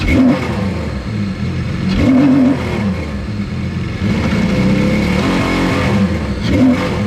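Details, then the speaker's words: 155hp Seadoo jetski engine in a converted sail boat, running after the fuel pump finally primed, which the owner suspects still needs replacing. Revs climb and drop in quick bursts without stumbling or cutting out; revving cleanly. "Holy cow, finally. It's running. Nobody's saying it's right though. Oh, it does sound a lot better."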